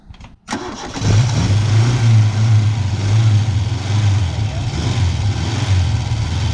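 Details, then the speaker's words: Chevette barn find on its first drive: it cranks and catches, then drops to a low, uneven, starved chug and dies; a blocked air filter was found, likely starving it of air. "It starts up, but then dies. So it's like it's starved of air or fuel."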